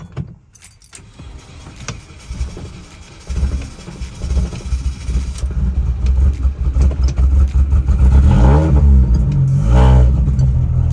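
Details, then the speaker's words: R53 Mini Cooper S after replacing the failed original fuel pump, battery charged after a dead first try: engine cranks, catches and builds to a steady, even run with no misses or stumbling, needing fuel to fill the system. "All right, it turned on. Couldn't even talk. But I think it just needs to get some fuel into the system."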